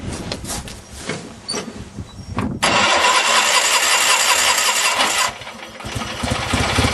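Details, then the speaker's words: Craftsman GT6000 mower Kohler V-twin after fuel pump and carb rebuild, with governor not hooked up: cranks, fires, then screams at high unchecked speed; engine overspeed with governor disconnected, owner worries about blowing a head gasket. "Wow. I probably should look into hooking up the governor before I blow a head gasket."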